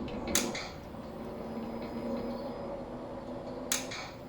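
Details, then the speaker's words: 2017 Harley-Davidson Big Cam, jump-started from a car battery on the leads to rule out the bike battery: two sharp single clicks over a quiet hum with no cranking. The starter clicks and resets but never turns. "happens same again just clicking"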